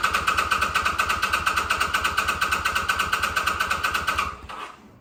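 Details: 2005 Kawasaki VN800C V-twin, about 130,000 km, first start after roughly 10 years in storage, fresh petrol and recharged battery; steady even thumping about eight beats a second at idle, then winds down. Normal idle.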